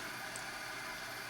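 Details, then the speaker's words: HP 8656B signal generator, first power-up to check fan noise: steady airy hiss with faint whistle, no rattle or bearing growl; fan not very noisy, normal. "all right well we can hear it certainly uh i don't know about loud um putting out plenty of air uh i'm not i'm gonna say that's not really a problem i'm not saying it's perfect but like i said it's uh not bad"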